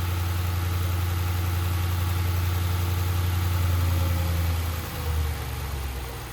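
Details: Audi RS6 C7 twin-turbo V8, first start at idle after engine removal, teardown and repair for misfire and rattle (fault found behind timing cover): deep, steady, even low hum, no misses, then a small blip; normal idle.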